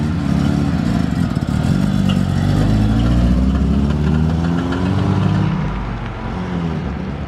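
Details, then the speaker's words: Mazda RX7 Series 1 (SA22) 12A rotary, first drive after sitting 10 years: engine climbs unevenly and flattens instead of revving out; fuel smell, running very rich, owner suspects richness needing a tune and timing well out. "like, not revving out properly. I think that is probably because it's so rich and need to tune. And I think also the timing is 100% out."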